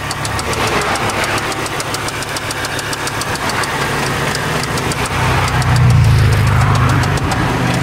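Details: Volvo 850 T-5R with Eagle H-beam rods and ARP hardware, after drag racing: heavy, regular deep knocking about three to four per second over the running engine, louder as revs rise; rod knock.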